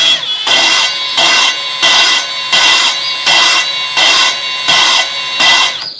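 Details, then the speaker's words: Kawasaki FX850V engine head rebuild, new intake valve spun in its seat by a drill chucked on the stem: regular gritty, high-pitched grinding bursts about 85 a minute; normal valve lapping. "and then just turn it on and I'm run it forward if you listen you hear the kind of the grinding"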